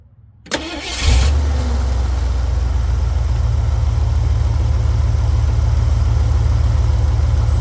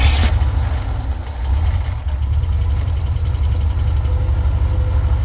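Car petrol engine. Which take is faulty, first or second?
second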